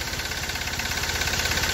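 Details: Hyundai i20 with black smoke and low pickup: a steady idle with a sharp, regular "tak tak" tapping knock, several beats a second. The fuel injectors are suspected and are being removed.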